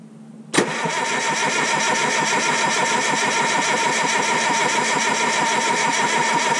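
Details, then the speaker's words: 1968 Detroit Diesel 3-53T first cold start after total overhaul, engine at about 4.5°C/40°F, outside -3°C: quick catch then busy, even diesel clatter settling into steady idle; good oil pressure, no leaks; healthy cold start. "oh she runs pretty good guys no leaks and uh pretty well that's all i'm gonna run it it it's still stone cold but uh got really good oil pressure"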